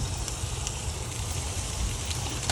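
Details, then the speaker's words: 1963 Chrysler Newport on a 2,400-mile road trip, stopped after suddenly overheating, hot engine off: steady hiss and crackle like sizzling bacon as coolant boils on hot parts; owner suspects radiator, cause unconfirmed; car then reluctant to turn over. "It's like sizzling bacon. So I don't know what exactly is going on. Maybe the radiator."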